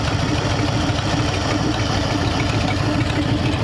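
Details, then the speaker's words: Hopped-up flathead in a 1932 roadster, newly built, first runs with freshly set valve lash and good oil pressure: even, low rumbling idle with no ticking or tapping; quiet valve train, normal idle. "all right we got it iding pretty pretty good listen how quiet that valve train"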